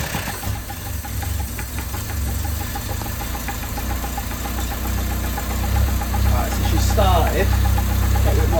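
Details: 1980s Toyota Tercel barn find four-cylinder, carb fed fuel directly by gravity with the fuel pump line disconnected: settles into a steady, even idle with a low smooth hum, no knocks or stumbles; normal running.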